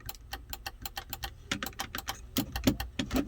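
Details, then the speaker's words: 2014 GMC Sierra SLT 4WD 6.2L L86 with intermittent sunroof; switch pulled but roof stays still, rapid uneven dry clicking from the roof, possibly the motor assembly, source unconfirmed. "now [Music] it is not working right now you can hear the clicking i pulled the switch down but"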